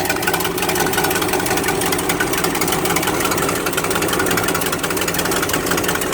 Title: Exhaust leak 1